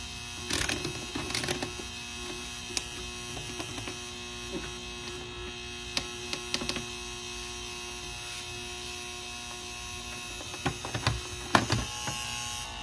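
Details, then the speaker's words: Secondhand Rain Bird sprinkler controller plugged into mains: constant low electrical hum with a faint ringing tone and a few handling clicks, display still working; transformer hum suspected as the source. "so I plugged it in it's making this ringing sound"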